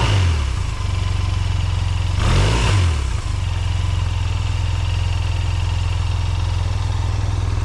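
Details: 2005 Honda Silver Wing scooter, first start after sitting neglected (moss-covered), oil and coolant checked; oil and ABS lights on at start; even, steady idle with one quick throttle blip that rises and settles straight back. Normal idle and revving.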